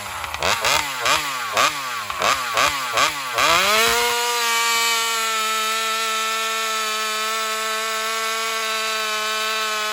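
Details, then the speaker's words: Alcohol-fuelled chainsaw in a test cut after a fuel line swap, previously starving for fuel in longer cuts. It surges and stumbles about once a second, then climbs to a high steady scream; confirmed lean running from fuel starvation. Owner plans a bigger fuel line or metering lever adjustment. "right, so there it is. My assumption, I think, is pretty much spot on. She's just, starving for fuel."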